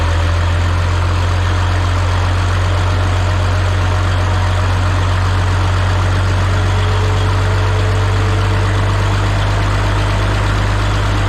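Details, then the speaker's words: Minneapolis-Moline G950 tractor after a manifold leak repair, fitted with a new-old-stock muffler and not fully warmed up: a steady, deep, even idle with a solid low exhaust note and no ticking or puffing; a normal, healthy idle. "oh all right so the way the New Old Stock one sounds to me like it's got a nice deep uh sound to it um sounds just I don't know if solid is the way just got it doesn't sound tinty at all it's just a sounds like a big old propane tractor running"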